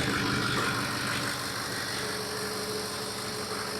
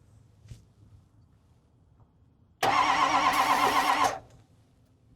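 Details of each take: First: Ford 6.0 Powerstroke diesel idling steadily with an even regular clatter and no misses or knocks; the engine fires right up and sounds healthy. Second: Non-running Ford 6.0 Powerstroke diesel that builds high-pressure oil, with a spare starter, ether and batteries not charged: two even cranking bursts with no catch, so it cranks but won't start; oil then found pouring from the crankcase breather.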